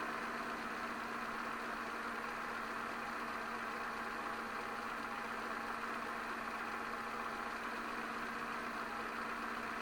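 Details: 2006 Peugeot 206 1.4i 75 hp TU3JP (KFW) petrol at idle after oil change and new oil filter, run to fill filter: steady, even idle, smooth unchanging note, no knocks or misses; running normally.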